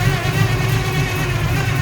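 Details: 1971 Chevrolet Nova, built 400 V8 (Isky cam, Edelbrock intake and carb, MSD HEI, headers, about 400 hp on the dyno), heard with the hood up: deep, even, lumpy idle burble with no knocks or misses. Normal idle.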